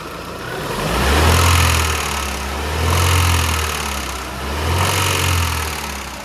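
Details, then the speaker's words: Chevrolet Lacetti petrol engine, after rebuild and reassembly of camshafts and timing: blipped three times from idle, with a deep knock under the rev swells; suspected bent connecting rod. "В общем, приговариваем шатун. Он, скорее всего, гнутый."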